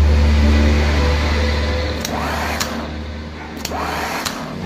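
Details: Repaired Isuzu starter from a jeep, which had spun without engaging. Bench-tested with the solenoid after repair, it gives a strong, smooth low hum as it spins freely, then winds down with light clicks, kicking properly now. Normal starter operation.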